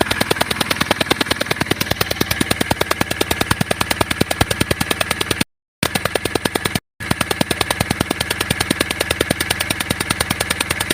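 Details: CRDI diesel engine at idle with compression and some oil leaking past a bad injector seal: sharp, evenly spaced ticking puffs about three per second; injector seal compression leak, fixed by replacing the seal.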